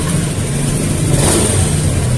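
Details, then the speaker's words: Honda Beat FI scooter with a new injector idles normally but stumbles and bogs when the throttle is snapped open, fuel-starved hesitation from low fuel pump pressure. "Nah kalau untuk hidup hidup normal ya cuman kalau gas kita bejek secara spontan nanti dia ee kerasa ya tuh tuh kosong Oh ya tererasa ya terdengar ya"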